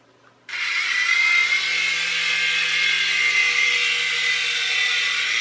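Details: U809 Air Attack toy helicopter after a LiPo change and super-gluing the slipping pinion gears onto the motor shafts: the motor spins up to a steady high whine with no grinding or skipping, a normal flight sound.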